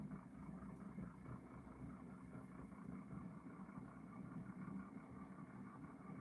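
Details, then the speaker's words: Single-coil pulse motor circuit, coil of a different gauge from the 26-gauge dual-drive setup: louder steady low buzzing drone with fast even pulse, no misses; normal running. "Now I'm going to do the one coil circuit real quick. Back to the other rotor. And it'll be a lot louder, and it's two reasons. One, it's one coil, and two, it's a different gauge."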